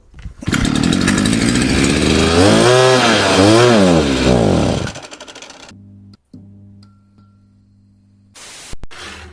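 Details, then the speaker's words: Chinese 43 cc two-stroke brush cutter before repair: it starts fine but buzzes, surges up and falls back twice, then dies within seconds. It won't rev up and stalls; the air filter housing is in poor condition, and the cause is not yet confirmed. "As you can see, it starts up fine, but it doesn't rev up and then stalls."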